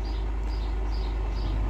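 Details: Volkswagen Touareg V10 after fitting a battery cut-off switch to fix battery drain: deep even rumble settles right after cranking with no stumble; clean normal engine start.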